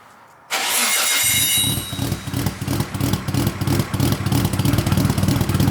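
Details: Built Nissan RB26 in an R32 GTR (fully ported/polished head, 260 Tomei cams), first start after fitting a new loud exhaust with muffler: sharp start, then loud, even loping idle about three pulses a second, rotary-like. Normal lumpy cam idle.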